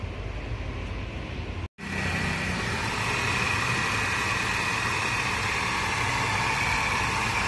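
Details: Mercedes-Benz C280 W204 six-cylinder idling: loud, steady whirring rattle with a thin whine from a noisy belt tensioner at the front of the engine, traced to the third one checked.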